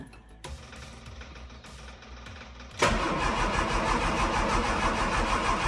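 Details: Classic Mini, choke applied: faint cranking and clatter for nearly three seconds, then the engine catches and settles into a busy, uneven fast idle; hard starting.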